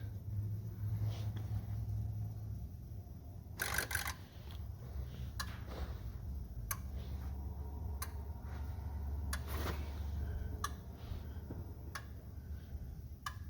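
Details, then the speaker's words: 2004 Ford 6.0L Powerstroke diesel pickup with rough running: scanner electrical injector self-test after an injector is mounted and plugged in, before oil rail goes on; crisp single clicks about every 1.5 s over low hum as each of eight injectors fires in turn, healthy. "as soon as you get your uh thicker mounted and um plugged in and whatnot just go ahead and run the uh electrical self test"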